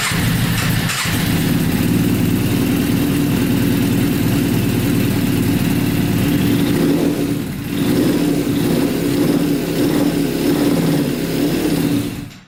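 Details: Custom Yamaha Banshee with 600cc sport bike engine swap, not run in a while, no tank fitted, choke on after freeing a leaking carburetor float: rough, uneven running at steady revs about twelve seconds, then fades and quits abruptly; fuel starvation stall.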